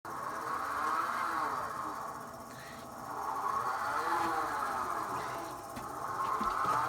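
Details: Thelin Gnome pellet stove made before 2009, running on low or medium (it does not work on high): a whirring whine that swoops up and down in pitch; the source is unconfirmed.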